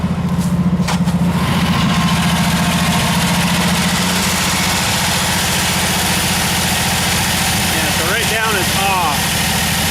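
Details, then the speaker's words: Old Jeep, choke turned off, engine warmed up a little, idles with an uneven, lumpy beat and skipped firings: a misfire. The owner suspects moisture under the distributor and notes worn-out engine blow-by. "sounds like it's missing a bit could be probably wet too under the distributor"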